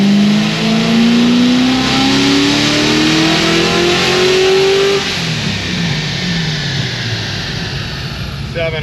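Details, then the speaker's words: Supercharged LS7 on stock bottom end with ECS kit, 7.7 psi boost, dyno pull to 5100 rpm: blower whine climbs with revs, then falls away and turns ragged mid-pull as the supercharger belt slips; belt then tightened (10 psi after). "gee the belt's slipping it's got an ECS kit on it I'm shocked I'm gonna try and tighten the belt"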